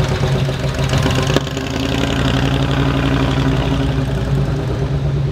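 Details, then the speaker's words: 1975 Ford Bronco V8 with FiTech EFI idles with a steady, deep rumble; ticking from header exhaust leaks gone after fitting Remflex graphite header gaskets. "I can hear it it sounds so much better definitely took care of the ticking"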